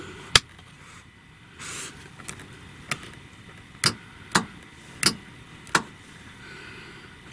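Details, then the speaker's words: 2003 Roadtrek 190 Versatile camper, winterized with empty fresh-water tank: sharp clicks every half second to second as the 12-volt water pump cycles in the background. "hear that clicking back there trying to get a test yeah it's the water pump going off in the background"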